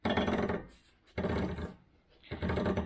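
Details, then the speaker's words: Long-abandoned go-kart being recommissioned, turned over by hand; three rough scraping, clattering bursts about a second apart as chain binds at the clutch, which sits at a different angle from the drive-shaft sprocket and needs moving out: sprocket misalignment. "and that's because where the clutch is is at a different angle to where the the sprocket is on the drive shaft so this needs to be come out a little bit further"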